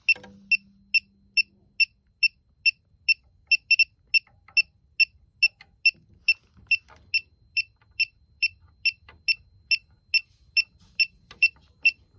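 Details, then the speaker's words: Elitech WJL-6000 refrigerant leak detector beeping sharply and steadily about twice a second at an already known leak point where soap bubbles show a leak, worst after system shutdown; owner unsure detector is reading that leak. "I don't know if that's what the detector is picking up, because that's where I see a leak whenever I spray the bubbles there."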